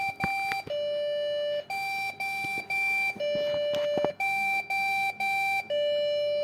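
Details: Branded Dell/HP/Lenovo PC at power-on: loud repeating beep pattern, about two a second, of short high beeps then a longer lower tone; a beep error, exact cause not identified.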